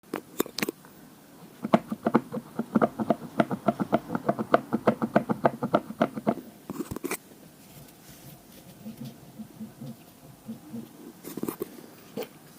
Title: koowheel making clicking noise